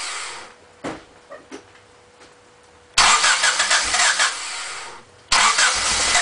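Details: Honda Civic EX coupe that wouldn't stay running: scattered clicks, then two long loud bursts of cranking and roughness that never settle into an idle; now won't start.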